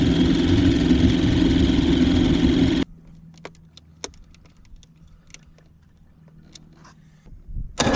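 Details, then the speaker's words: 1977 Johnson 115 outboard after new CDI, coil packs, reed valves, fuel lines and cleaned carbs holds a smooth, even beat with no stumbling or misfire, then shuts off; idling properly, the reeds weren't the cause. "idling like it's supposed to. I hate it wasn't the re valves causing the problem"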